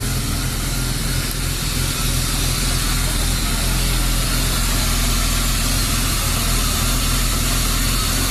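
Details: BMW E36 325i rough idle: wavering, uneven lumpy beat about three times a second; MAF and throttle position sensor replaced and idle valve cleaned without success; fixed by replacing the lambda (oxygen) sensor.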